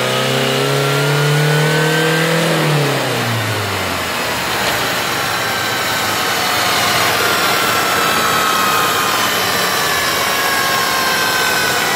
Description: Turns out it was the bearings in the gearbox.